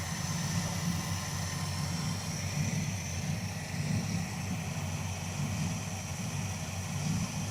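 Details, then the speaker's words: V8 truck engine at idle after an oil change gives a low, uneven rumble that stumbles now and then: the misfire has returned. A tick heard at startup went away once the oil system lubricated itself. "She's back to misfiring again. Dang it."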